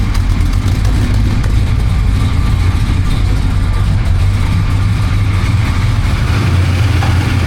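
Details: 1966 Coronet 426 Hemi V8 with dual exhaust with cutouts, air cleaner off, warming up: deep even burble, no misses, ticks or knocks; healthy smooth normal idle.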